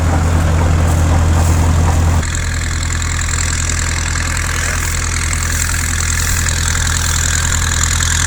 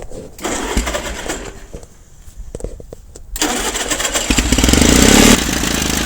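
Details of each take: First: 1950s Caterpillar D4 dozer that sat at least 20 years, revived after pony motor starting; deep, even diesel rumble with a steady beat and no knocks or misses; runs smoothly. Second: So what's happening is the Bendix on that starter mechanism is kicking out too early. It's supposed to kick out when the diesel motor starts running.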